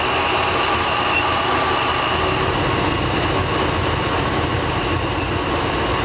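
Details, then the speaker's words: C6 Corvette Z06 V8 idling while coil connections are pulled one at a time: lumpy, uneven idle with an irregular stumble; unplugging cylinder three changes nothing, so cylinder three is not firing; injectors to be swapped to test. "er ones obviously once you unplug them you can hear kind of the engine shut er down you can hear misfire and you take number three off it didn't do anything so sounds like number three is not firing"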